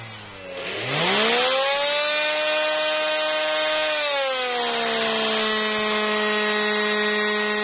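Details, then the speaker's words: Electrolux Ergorapido 2-in-1 Allergy cordless vacuum spins up to an abnormally loud, shrill whine, then settles to a slightly lower steady pitch when switched on. "ah ini ada vakumer ya ketika dihidupkan suaranya seperti ini suaranya seperti iniang banget suaranya"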